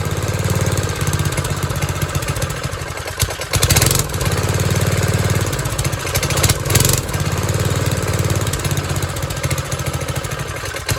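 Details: 1970s trike, believed to be an MTD Mud Bug, with replacement John Deere single-cylinder, after resetting the fully-in idle screw to 1.5 turns: steady low even idle thump, regular firing with no hunting or stumbling; idle now fine.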